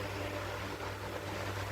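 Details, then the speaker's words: House fan with timer and speed settings, running after maintenance with a flat screwdriver. Steady, even hum with a low drone and soft airy rush, no rattles or scraping; fan runs smoothly. "Yeah. Wow. It's working well."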